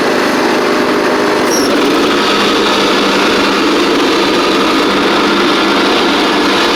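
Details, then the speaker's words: Craftsman DYT4000 riding mower after repair, running while driving: steady engine drone at constant speed with no misses, knocks or surging; charging the battery, drives and blades work; healthy. "so it's charging the battery it drives and the blades work work"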